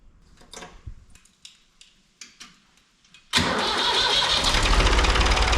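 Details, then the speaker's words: David Brown 880 tractor, AD3/55 diesel, after fitting replacement inlet manifold from a DB 885 for cold start system, checking for air leaks: a few clicks, then it fires and settles into steady, even idle with no misses; healthy. "so we're going to fire it up uh make sure that you know we've got no air leaks in it and everything's working good"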